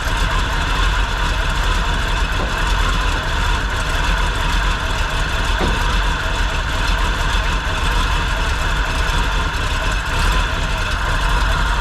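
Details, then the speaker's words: 1957 Chevy 4x4 sedan delivery with a big-block Chevy V8, first run: a deep, even idle with a steady gear whine from the gear-drive timing set. It runs and idles well, and the accelerator pump works. "okay it ran pretty well it idles seems like the accelerator pump's working"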